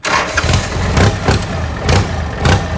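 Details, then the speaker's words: Used Kubota L3408Di diesel tractor, shop-reconditioned, front axle and gearbox good: key start, cranks briefly, catches at once and settles into a steady, even low thump with no stumbling; engine sounds tight, normal start and idle. "อยากฟังอีกแล้วนะครับอ่ะสวิทช์กุญแจสตาร์ทครึ่งเครื่องแน่นมากนะครับ"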